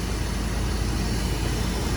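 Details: Long-sitting Square Body crew cab with a 4-bolt-main GM 350 V8, forgotten 12 years, running after a new battery, no coolant: a smooth, deep, even idle with no ticking, tapping or knocking. Normal idle.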